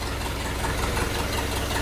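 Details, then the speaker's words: Chevy Suburban off the road since the mid-80s, just fitted with a swapped engine, new exhaust and fuel system, first run: slow, lazy idle with low uneven thump and slight rattle; idle apparently set too low, may need turning up. "we need to turn the idle up I think"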